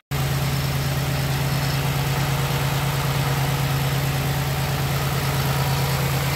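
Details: 2006 Pontiac Grand Prix base idling after top swap with new exhaust valve seals, bleeding air from cooling system and topping up coolant; steady, even low hum, no misses, ticks or knocks – healthy, no black smoke.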